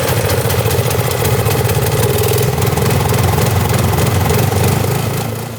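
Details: Snow blower small engine after start at full throttle and choke, primed: runs steady and even with no stumble or misfire, easing off at end; normal idle.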